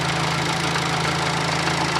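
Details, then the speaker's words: Fiat Panda 4x4 Sisley after converting from carburettor to fuel injection, with fuel pressure around 10–12 psi: a steady, even, quiet idle with a smooth low hum, no knocks or misses, and only normal injector ticking. "as you can hear it runs nice and quiet there's no really any noises or anything you can hear the injector ticking which is normal"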